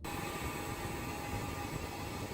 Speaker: is a refrigerant leak and will significantly affect your Cooling